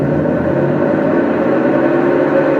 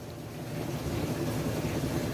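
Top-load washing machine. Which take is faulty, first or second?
first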